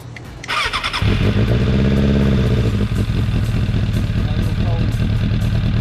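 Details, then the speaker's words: 2004 Suzuki Katana 750 under restoration, with a D&D exhaust and repainted headers: starts cleanly and settles to a deep, steady idle with an even, throaty beat and no knocks or misses. Normal idle. "it's old school but man it sounds nice especially for 750 katana wasn't expecting that"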